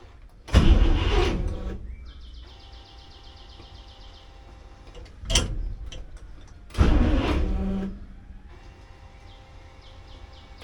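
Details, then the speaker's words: 1964 International Harvester Travelall C1100 with new starter, in second gear, foot on brake: short heavy starter thumps, truck never moves; clutch disc suspected stuck to flywheel, attempt to break it free unsuccessful. "So, I'm still not getting any transmission. Uh, that's kind of a bummer. All right. So, that particular operation was not successful"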